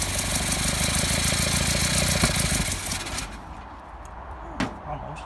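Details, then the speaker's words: 1955 Land Rover Series One, rebuilt engine first start after about 50 years, timing being set: uneven cranking about three beats a second catches briefly then dies, sounding rich or flooded; owner suspects fuel supply connection. Rough cranking and brief running. "okay so however briefly that was that was running on its own"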